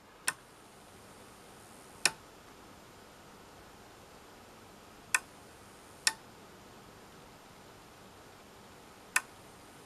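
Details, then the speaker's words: Samsung UE55F6740SB 55-inch TV at switch-on: sharp power-supply relay clicks repeating every few seconds while the backlight flashes briefly, a common Samsung fault traced to the PFC circuit not running. "hopefully she'll be able to hear that clicking now also the backlight flashes briefly"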